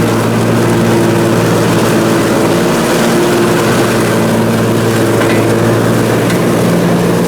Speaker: let's see if she's all good now it's fired up sounds way better anyhow well that's good